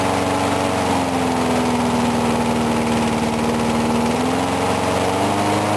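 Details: Briggs & Stratton single-cylinder mower, cold 35°F, sat long with water in the gas, refueled; even steady beat, slight speed drift, no stumbles; normal running.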